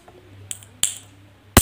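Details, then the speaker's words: Washing machine capacitor test: two small clicks, then one loud sharp crack as the charged leads are shorted; the capacitor is good, since a faulty one would make no such sound. "तो दोस्तों यह देख लीजिए यह condenser बिल्कुल ठीक है"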